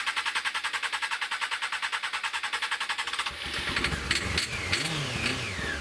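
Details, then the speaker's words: Honda CBR600 fuel-injected engine after a carb-cleaner clean. It runs on fuel, then stalls. Rough, pulsing knock around nine beats a second, then stumbles and dies into loose clatter; owner earlier suspected an oil-related rattle. Engine knocking, cause unclear. "there's that noise again so it ran stalled and i was definitely running on fuel and then you've got the cracking noise again"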